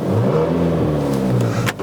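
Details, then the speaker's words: Mk5 VW Golf GTI 2.0 TFSI petrol, 199,000 miles, revving: a breathy, uneven blow in the exhaust note as revs rise; the flexi pipe leak, patched with exhaust paste for the MOT, has opened up again. "it's very you can hear it's back blowing again."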